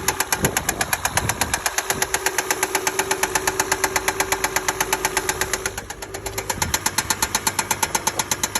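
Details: 2005 Acura RL petrol engine idling with a fast, steady knock sharply tapping over the running note, cause unknown.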